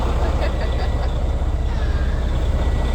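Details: Semi truck found dead, cold start after charging the batteries to 12.8 volts: deep, steady diesel rumble with an even beat; the engine fires and keeps running cleanly.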